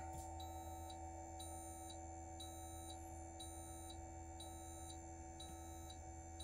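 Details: 2024 Newmar Bay Star 3014 motorhome hydraulic leveling pump retracting all four jacks, ignition on and parking brake set: steady low pump hum with a short beep about every second; normal operation.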